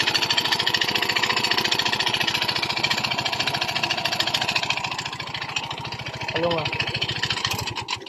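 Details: Yamaha Mio i 125 at idle before repair: fast, sharp metallic rattle on every firing stroke, piston slap; fixed by replacing the block set.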